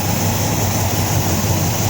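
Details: 1953 Ford Customline with swapped 350 V8, 87-and-up intake manifold; deep idle with slightly uneven loping beat, no mechanical knock; spray test shows intake manifold gasket vacuum leak both sides, possibly misaligned gasket.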